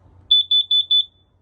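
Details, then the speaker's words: Camper carbon monoxide detector beeping from low battery gives four loud, shrill beeps in quick succession as its button is pressed and held to reset, after plugging the camper into 110 V power. "And that is how you shut off that stupid beeping freaking noise from the carbon monoxide detector going off when the battery is"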